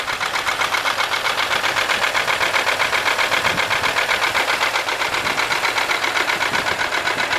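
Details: 1995 Buick LeSabre 3.8 V6 engine knock: sharp even ticking about four per second over idle, seeming to come from the left side; owner suspects valvetrain, a valve staying open or closed, cause unknown.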